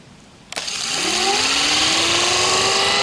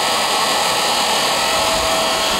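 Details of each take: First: Rebuilt Raymond electric motor run on battery, with new brushes and brush holder at the start of break-in: it spins up with a rising whine and loud, hissy brush rustle. The brushes are not yet seated to the commutator. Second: Rebuilt Raymond electric motor with new brushes and holder, running on old lead acid batteries in 20-minute cycles to seat brushes: steady high-pitched whir, even hiss, much quieter; normal running.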